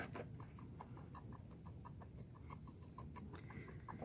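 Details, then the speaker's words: Toro Recycler mower, engine warm and just died after running the gas out for winter storage: soft hissing puffs with each primer press, only air going through because the carburetor is empty. "you can hear that air going through. There's nothing left in the carb."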